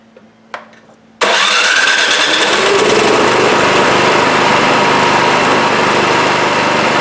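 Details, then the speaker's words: Craftsman 26 Quiet snowblower (model 247.886940, about 8 hp 208 cc single-cylinder) after carburetor fix for a no-start: quiet, then catches on electric start and settles into a steady, even run with no misses. "Well, there you have it. Simple. Half hour, done deal."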